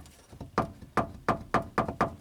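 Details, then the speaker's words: 2007 Honda Accord EX 2.4L sedan rear suspension: light hollow clacks at irregular bump-like intervals from a loose clip, often mistaken for struts or stabilizer links; a wrap of electrical tape quiets it. "If you go over bumps or a rough road and you hear a little knocking sound like that, or clicking, clacking, thumping, it's this clip right here."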